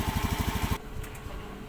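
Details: Honda Scoopy FI scooter, low power on hills, after an ECU reset with a scanner; cause found was a compression leak from too-tight valve clearance. Even, steady putter for under a second: smooth idle with no misfire.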